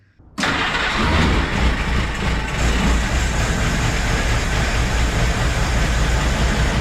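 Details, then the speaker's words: 1948 Willys CJ2A at its first start in over 20 years: it catches and settles to a rough, steady idle, but only keeps running on fuel poured into the carburetor. No fuel reached the filter/fuel pump, and the owner guesses the fuel pump is bad. "as you can see in the previous clip the Jeep runs uh we were filling it uh through the carburetor with fuel that was the only way to get it running and to stay running"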